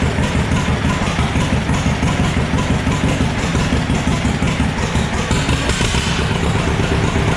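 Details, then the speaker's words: John Deere B, serial 147828, two-cylinder, test run without radiator, exhaust not fitted, good compression; slow steady putt-putt with strong even beat, no knocks or misses; owner thinks it will be a good runner; normal idle. "well i'll tell you i think she's going to be a good runner"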